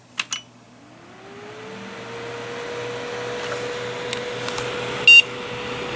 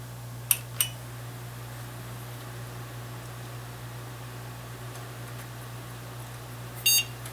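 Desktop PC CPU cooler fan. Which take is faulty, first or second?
first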